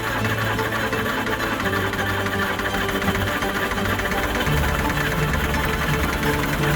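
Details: Long-stored Land Rover Series III diesel just restarted on a new battery: loud, uneven clattering knock with no steady rhythm over a lumpy idle; idles on its own but revs poorly, owner suspects top-end knock, cause undiagnosed.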